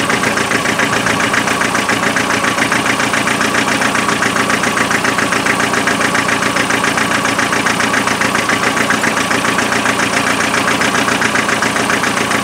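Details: Land Rover 2.5 naturally aspirated diesel misfiring at idle, a lumpy, regular stumble about two beats a second over the clatter; thermal camera showed the rear cold, and the four injectors were then tested in the air for spray pattern.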